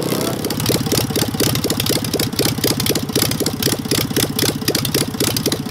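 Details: Engine with Solex 30 PICT carburettor after freeing a stuck accelerator-pump ball valve, with a fuel leak present, full throttle: revved hard with uneven, stumbling pulses and gaps instead of a clean roar; misfire at full throttle.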